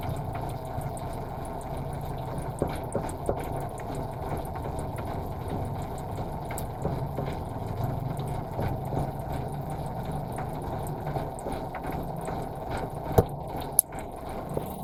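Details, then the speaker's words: Nissan Sentra B14 that was misfiring, after new spark plugs, cleaned valve and checking injectors (cat had been sitting in engine bay): low, even idle hum, steady beat, no shake — normal idle. "Ramdam mo naman wala lang kanginig-nginig men."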